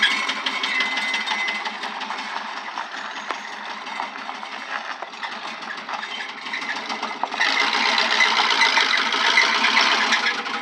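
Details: 1996 Suburban 5.7 V8 that blew up at 160k miles, owner unsure whether low oil pressure caused it: steady rapid knocking about four per second over the running engine, rod knock.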